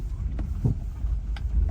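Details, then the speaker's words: 2010 Hyundai Santa Fe, struts just replaced, clunk from the right front; owner first suspected ball joint or tie rod: dull single clunks as it rolls slowly; worn lower ball joint. "I'm going to move the standing wheel left and right just to see if I can recreate that sound okay I'm not sure if you guys can hear that it sounds pretty loud from the right side"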